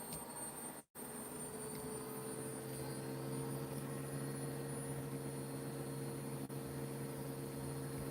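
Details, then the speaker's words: Bosch washing machine on a high-speed spin. A steady high motor whine holds an even pitch, with a smooth spin and no rumble or knocking; the washer spins normally. "that Bosch is going for it, man."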